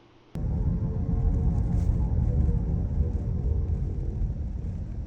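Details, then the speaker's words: 2020 Nissan Rogue (auction car) on test drive: deep growl and droning hum from the rear differential area, rising and falling with road speed like a bad wheel bearing. Cause is a failing rear AWD coupler, to be replaced. "Now if you couldn't quite make that out, it kind of sounds like a really bad wheel bearing noise. It gets higher with the speed of the car, slows down with the speed of the car. It has obviously come from the rear differential."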